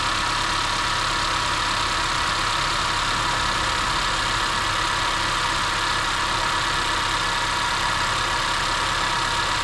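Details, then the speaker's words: 2015 Honda CR-V idling after DIY spark plug replacement: steady, even idle with soft hiss, no knocks, misses or surging; runs normally, though owner notes another issue probably not spark-plug related. "Let it sit there for a little bit just so if you start hearing any weird noises. As far as you can see, right here, it's all normal."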